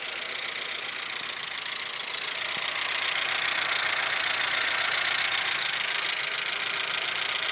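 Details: Audi 1.8, 90 hp, idle after cylinder-head repair: fast, light valvetrain ticking, three to four per second, that drops out between 2:30 and 3 minutes. Owner suspects hydraulic lifters or the oil and plans to clean the lifters and return to semi-synthetic.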